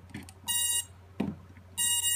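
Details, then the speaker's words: Max Nighthawk Pro ARF built-in BLHeli ESC, motor 3 held at full throttle via the motor test tab while the battery is connected: two short bursts of clean high beeps, the normal initialization beeps, then the programming tune. "the normal initiation beep yeah so there's the programming beep that little song there"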